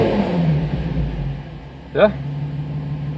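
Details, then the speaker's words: 2005 Infiniti G35, VQ35DE Rev-Up, 6-speed manual: after coil pack replacement for a P0300 random misfire, a quiet idle, then one quick, clean throttle blip that rises and falls smoothly with no stumble. The engine revs normally; the owner says it works perfect. "like she works perfect gotta love the shock wave nothing sounds better"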